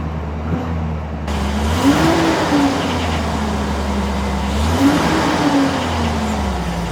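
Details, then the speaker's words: 2001 Chevrolet Silverado V8 after the repair, which followed stuttering, bucking and stalling: the engine starts and settles into a steady, even idle with a couple of mild revs; normal running. "Okay, back into my powertrain control module. Fire the vehicle up, and it runs."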